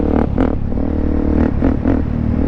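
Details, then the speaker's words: 2009 Suzuki DRZ400SM supermoto, around 35–40K miles, first ride back after fix-up: deep single-cylinder thump pulling evenly while riding, visor up, with some wind rush; engine runs smooth and sounds dialed; normal engine running. "But she's smooth. I don't remember her being this smooth."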